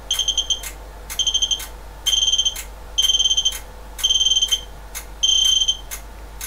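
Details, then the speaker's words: Ryden 360 W switching bench supply loaded to its full 360 W by a Kunkin KP184 electronic load: bursts of high rapid chirp beeps about once a second as its current limit kicks in and it does not appear to recover. "So I'll take it up to the full 360. Okay, and the Ryden is starting to complain. So the current limit is kicked"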